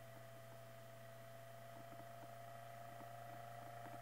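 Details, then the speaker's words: Hunter Century 2-speed oscillating fan, Cat 75 Type D-10, on low speed with voltage raised to about 118.5 V: quiet, steady low hum with a thin constant whine, no rubbing or knocking; running smoothly. "you can hear it running smoothly that's 118 point 6 volts 1 18.5 so it's running great"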